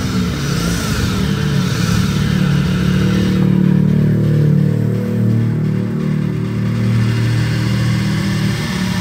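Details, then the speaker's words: Honda Vario 125 scooter idling and revving with a coarse, low rumbling engine noise, typically from a worn crankshaft bearing, specifically the left-side one. "oke Bisa jelas ya untuk suara motornya jadi suara motornya bergemuruh nah ini biasanya disebabkan oleh bearinguk as"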